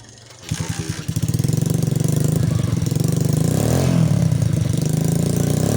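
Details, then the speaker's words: Rusi 110 motorcycle that misfired, struggled uphill then wouldn't run; fixed poor contacts in wiring and spark plug cable; engine catches and holds even steady beat without skips: normal running. "So ngayon okay na siya good na siya Hindi na siya pumapalya So tuloy-tuloy na angb nito"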